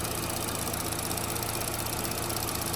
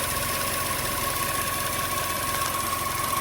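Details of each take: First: 2012–2018 Chevy Sonic/Cruze, 1.8 non-turbo Ecotec, brought in for a rough idle, just restarted after the fix: steady, even idle with no misses. Fuel trim went from about 40 before the fix to near zero after; a normal idle. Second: 2012–2018 Chevy Sonic 1.8L non-turbo Ecotec petrol engine idling in the engine bay with fuel trim pegged at 40, running lean; uneven, lumpy, shaky idle. Rough idle.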